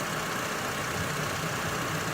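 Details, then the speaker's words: 2006 Honda Civic, freshly installed engine pulled and refitted through the top, zero miles, first run on a cold, icy morning: smooth, even idle with a steady hum and no knocks or ticks; normal idle. "I got it off the top and it runs good"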